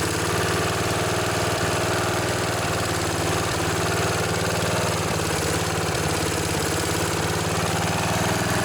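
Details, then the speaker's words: Snapper SR1028 riding mower, Briggs & Stratton flathead, first run after rescue, on choke, no air filter: fast idle with uneven beat and odd cough and stumble, smoking; owner suspects too much oil. "well it doesn't run too bad actually got a little bit of a cough and a sputter there that i'm sure smoked out my old junkyard here"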